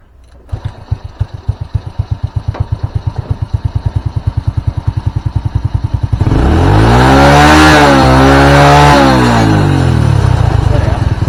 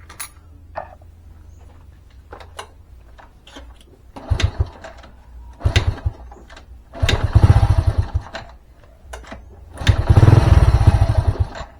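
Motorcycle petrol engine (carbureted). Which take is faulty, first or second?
second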